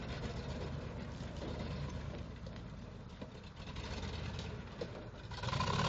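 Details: 1979 Ford F-250 V8 that had sat for 12 years: an uneven idle with a low beat that wavers and stumbles, with occasional dips; the cause is not yet pinned down.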